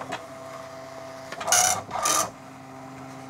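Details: Commodore MPS 1500C colour dot matrix printer printing setup-routine options (colour ribbon, near letter quality, spacing 10) while connected to an Amiga: two short rasping print-head bursts with quiet carriage ticks between them; working normally.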